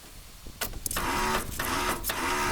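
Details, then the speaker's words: Cub Cadet LX42 mower, Kohler 7000 series engine, key start with parking brake on: repeated high whirring bursts, engine not turning over; starter spins but motor doesn't turn, starter replaced. "you can hear a noise sounds like the starter spinning but the motor's not turning so we're going to pull the starter out and see what's going on"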